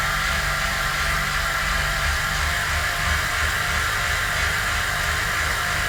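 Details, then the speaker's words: Standard Continental 5000 road tire on a normal rim on an on-wheel trainer roller: loud, steady whirring hiss with a low uneven rumble as the tire drones and slips on the roller, before comparison with an Elite Coperton trainer tire. "So now let's do a sound test here we have the standard continental 5000 tires on our normal rim and you can see it makes a lot of noise. It actually slides and you can hear that and then we'll jump onto Coperton and hear the difference"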